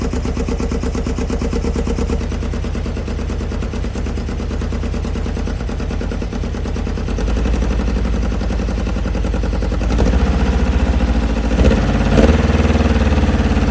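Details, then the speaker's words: Loral Toal Nova 80s kit supercar, engine revived after 25–30 years sitting, thermostat removed so coolant circulates: deep rumbling, steady lumpy idle holding level, slight clatter near end; normal idle, running well. "Okay. So, after 25 to 30 years, the Nova now runs, which is kind of amazing. And it's now running pretty well."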